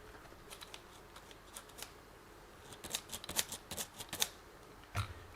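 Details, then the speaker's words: Xinlehong Q903 RC truck used on sand, dirt and tarmac; dry, irregular clicks and creaks each time the back end is pushed down, front less so — creaking rear suspension. "the suspension is sounding a bit rough i'll be honest with you the front's not so bad rear's a bit well i think you can"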